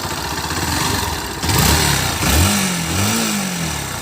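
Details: 2018 Bajaj Pulsar NS160 after sitting a long time with engine oil very low: uneven throttle blips with a rough, noisy mechanical note under the exhaust; internal engine noise, piston and crank suspected, cause unclear.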